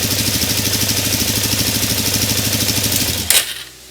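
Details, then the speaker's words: 2017 Suzuki DR-Z400 single cylinder, back running after repair of a no-run fault: fast, busy idle with steady pulsing before cutting out, because the choke was left partly on; otherwise sounds great. "yeah see that's what happens when you leave the choke even on a little bit too long now my mistake"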